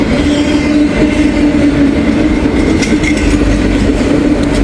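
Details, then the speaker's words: Passing loaded Norfolk Southern train with articulated auto racks: a steady mid-pitched whine through the rolling clatter; a bad wheel bearing is suspected, unconfirmed. "bad bearing on that one could hear that"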